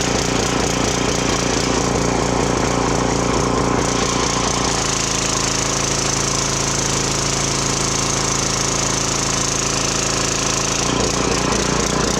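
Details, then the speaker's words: Briggs & Stratton 2900 psi pressure washer after a carb cleaning for hard starting, low power and only running on choke: steady engine hum with pump hiss and a slight rise and fall off the trigger. This is normal governor surge; the engine runs good. "Well, there we go. She runs good. That surging when I'm not on the trigger actually is pretty common on these."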